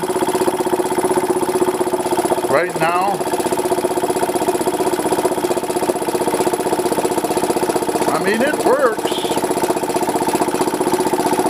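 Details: Goodyear 20-gallon oilless air compressor whose 1.5 HP motor was remounted separately from the pump and belt-driven. A steady, even hum with a quick, regular pulse around three per second, running smoothly under load; normal running.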